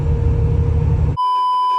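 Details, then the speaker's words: Lifted 6.7 diesel truck at 80 mph on the interstate at night as the alternator fails, lights out and the truck won't downshift: a single half-second electronic warning tone over the highway engine rumble, the low-voltage warning from the failed alternator. "alternator just took a [ __ ] so yeah hopefully we don't like crash and die"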